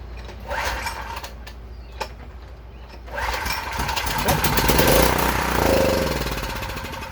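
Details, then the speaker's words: Free UST 3500 W generator, started with gasoline squirted into the carburetor: small single-cylinder catches after a couple of pops, then runs rough and uneven; runs only on primed fuel, carburetor suspected gummed. "Okay, so we got the engine running."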